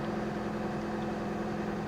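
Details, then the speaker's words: 2004 Saturn View, four-cylinder, manual, parked since 2018: fires right up and runs great, quiet steady even idle with no ticking, knocking or hunting, though gauge shows out of gas — normal idle. "Here we go. Fires right up. It actually runs great."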